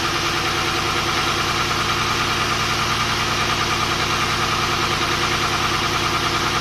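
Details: Volvo 240GLE with an LS2 V8 swap on first start after engine reinstall: uneven, slightly lumpy idle beat under the exhaust roar, as if one cylinder isn't firing. The number 8 coil had been swapped to number 2; pulling that plug made no difference, and the owner suspects that plug.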